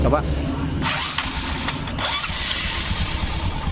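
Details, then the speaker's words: Old carbureted Honda Supra X 125 with new bore, valves and cam chain tensioner, after setting valve clearance to 0.05 mm, cover off: catches and settles into even, soft idle with no valve tapping; normal idle. "kan lembut suaranya sekarang pasang pasang tutup tutupnya kita Nyalakan"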